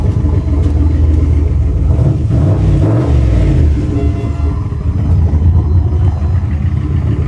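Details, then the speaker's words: Holley Dominator EFI V8 after key-cycling ECU power, which restored missing injector pulse on cylinders 1 and 3: deep even burble with one throttle blip, no stumble or skipping; normal idle on all cylinders. "let ignition cycle key on now it sounds like it's running normal"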